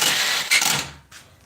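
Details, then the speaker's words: Four-wheeler (ATV) during head replacement work; a short, harsh grinding burst on cranking dies off quickly with no start, and the starter sounds bad. Owner suspects a weak battery: starter grinding. "awful is it SP I think it's cuz the batter's too L painful yeah starter don't sound to good it probably is the battery"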